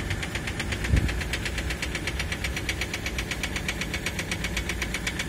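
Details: 2003 Ford Mondeo 3 2.0 TDCi (FMBA), Delphi common-rail injectors EJDR00301Z: sharp metallic clatter about four times a second at idle, caused by the faulty multiplier (return) control valve.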